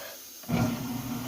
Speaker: it's got a belt inside that is tracked by air so if you hear it you'll hear a little bit of hissing and that is air passing by a sensor that reads the belt as it tracks